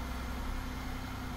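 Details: 2003 Chevrolet Monte Carlo SS Jeff Gordon Edition, 3.8 L V6, automatic, one owner, 4,694 miles: steady, even, smooth low idle hum with no knock, tick or miss; normal healthy idle.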